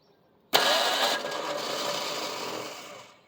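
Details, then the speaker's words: 1975 Ford Granada after years of neglect, cranked on brake clean: sharp clack then free high whirr dying away with no cranking; starter not engaging the flexplate/flywheel. "apparently we don't want to engage the flex plate anymore, flywheel, whatever."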